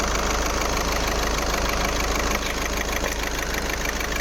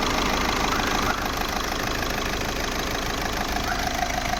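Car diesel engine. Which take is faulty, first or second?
first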